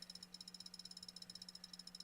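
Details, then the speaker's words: Failing hard drive in a laptop: quick even ticking about twelve per second over a faint hum; disk check cannot run because Windows can't access the disk. "And... oh, the disk check could not be performed because Windows can't access the disk."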